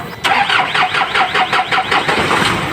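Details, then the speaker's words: Isuzu 4HL1 diesel with hard starting; steady starter cranking at about five compression pulses a second without catching, long crank, and the engine stutters when it runs; crank sensor cleaning did not fix it. "ayan nakita niyo naman at napakinggan mahaba ang cranking at p nag ka ay magog at parang maglagot ang andar ng makina"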